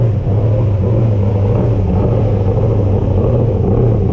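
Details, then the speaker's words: Race car V8 after an engine refresh, first start before the 2024 season in a cold garage warmed by a heater: a deep, steady rumble with an even lope, idling slightly high, with a possible exhaust rattle; normal idle. "well it runs sounds good um mind minding the exhaust might be rattling a little bit hopefully didn't uh wake any of the neighbors up"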